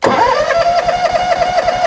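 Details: John Deere X300 mower: steady rapid starter whirr with even compression pulses, never fires; fuel pump works and fuel reaches the engine, spark checked; cranks but won't start, diagnosed as faulty ECU.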